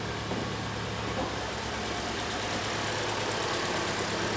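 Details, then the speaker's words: Kia Sportage, G4NA 2.0 engine, 134,000 km, after repair of a heavy piston knock, warming up: steady, even idle with a smooth low hum and no knocking or ticking; the engine runs normally. "работает ровненько принципе все в этом я думаю можно заканчивать видео"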